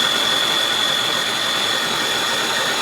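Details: Aucma 6.5-quart 660 W six-speed tilt-head stand mixer running at its top speed while making homemade butter: a loud, steady, high-pitched motor whir with an even gear hum and no grinding or catching. Normal high-speed operation.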